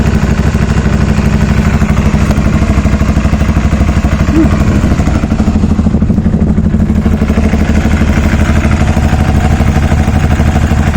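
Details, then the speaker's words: Aprilia Shiver 750 idling after oil was topped up: dry, even clatter about three times a second over the exhaust beat, sounds like a train; rattle's source unclear. Engine rattle. "it does sound like a train this sounds really rattling"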